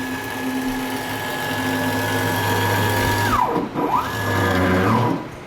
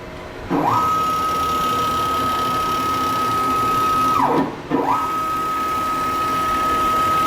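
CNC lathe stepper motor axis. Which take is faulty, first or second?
first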